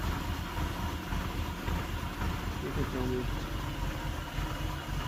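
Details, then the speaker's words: 1989 Mercedes 190E 2.6 automatic, cold after cooling off: a lumpy, wandering, uneven idle that runs rough until it reaches temperature. Owner suspects the idle module needs adjusting or replacing; it has sometimes fixed itself after heat cycles. "Because it had time to cool off, it runs rough until it gets up to temperature because of that idle module, whatever you want to call it, that needs to get adjusted or completely replaced."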